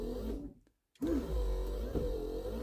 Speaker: beautiful you can hear the motor going as well to screen them over wow so we know that works so we've got wipers working they're all set up all tightened down